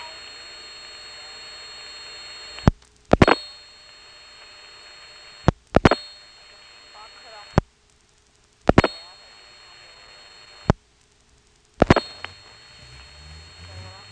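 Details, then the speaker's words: Step-by-step telephone office with directors, Elizabeth City NC area, March 1977: dialing 6 plus 28 to reach Sunbury 465 prefix directly, dropping the director; switching clicks and steady tones, then hiss rises on the second trunk with faint bleed-through, carrier noise plus crosstalk. "And once we dial the 28 for Sunbury, you can hear the carrier noise increase with the second trunk, and that second trunk has crosstalk."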